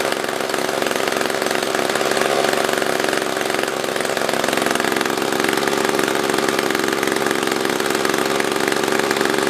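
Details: SRM-210 trimmer after repair (new carb, fuel filter, plug, fresh gas, handle), tank refilled: holds a steady buzzing speed throughout without stumbling or surging; normal running.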